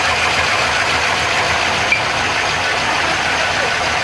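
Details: Chevrolet Trailblazer SS 6.0 LS2, first start after rebuild with new crank, main, rod and cam bearings, Trick Flow cam, new gaskets and seals, exhaust connected, warming up: steady even idle under hiss, no knocks or ticks — healthy, normal idle.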